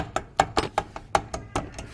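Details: Nissan R33 Skyline drift car with bad vibration: eight sharp, uneven metallic clunks as tail shaft is rocked by hand; tail shaft held on by only one semi-tight bolt.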